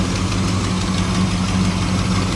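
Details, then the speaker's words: 1985 Chevrolet Camaro IROC-Z with a stock 305 V8, cold start after a jump pack: loud, lumpy cold idle with a faint quick tick on the beat; owner suspects exhaust manifold gaskets need replacing. "Ooh, she cold. Come on, girl. As you can hear, I probably need some manifold gaskets"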